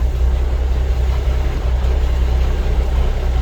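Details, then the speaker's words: Peterbilt diesel truck after owner-replaced power steering hoses, earlier no assist at low rpm, now bled and sitting on tires: deep even idle with no pump whine or groan, power assist restored; normal idle, quiet power steering pump. "okay there we go look at that no noise we got power assist"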